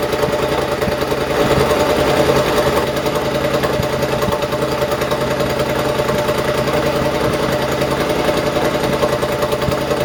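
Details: Rebuilt open exhaust just fitted to a Triumph: loud open-pipe running with irregular sharp exhaust pops. The still-connected AIS air injection system makes it run lean and pop; the owner intends to disconnect it.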